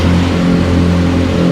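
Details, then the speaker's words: Car with a 1118cc engine (1098 plus 20, 10:1 compression) fitted with cooler spark plugs, started on a cold misty morning with the choke on. Steady, even low hum with a smooth firing beat, no knocks or misses; started really nicely. "Alright, as you can hear, cars are going. Sounding nice."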